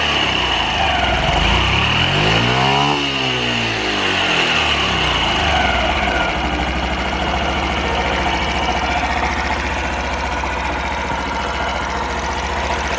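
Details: Super Cub 50 FI (AA04-3202) parts bike, recall work done, start-up check: after a quick rev rising and falling, the small single settles into a steady, even idle with no knocking or rattling; normal idle, no abnormal engine noise.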